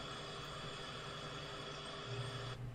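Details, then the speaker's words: R290 cooler with an Embraco compressor after troubleshooting: quiet, steady hum and airflow hiss with steady amp draw and pressure, no on-off ramping, then it cycles off normally at 3 °C; running normally. "so my amp draw is nice and steady now we're not going up and down up and down the pressure's pulled down it's staying steady this compressor compressor is pumping steady now"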